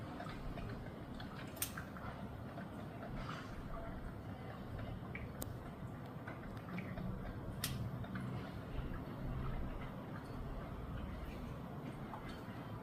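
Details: KitchenAid drip coffee maker heating plate left on after brewing: faint, irregular sharp ticks every second or two, periodic clicking until the plate shuts off after its set time.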